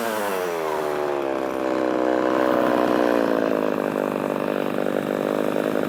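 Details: Poulan 3300 chainsaw, freshly revived, cutting: a strong, clean two-stroke howl that holds steady in the cut and recovers smoothly with no bogging or misfire. A healthy saw.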